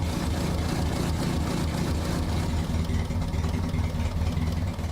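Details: Restored 1960 Mercedes-Benz 190B petrol engine after rebuild and brake caliper repair: steady low rumble with an even, unbroken beat and no knocks or misses; idling smoothly.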